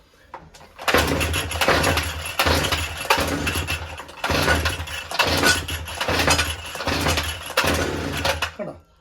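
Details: Brush cutter/grass cutter that won't start, pulled with choke and primer bulb pumped: repeated pull-start bursts, ragged rasps with brief catches but no steady firing; hard starting.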